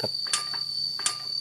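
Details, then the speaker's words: Suzuki Satria 120R engine lacking power, crank turned slowly by hand during teardown: two sharp metallic ticks from inside the block, a bad sign of severe internal wear. "ini jika saya putar bisa teman-teman dengar di bagian blok ada bunyi tek"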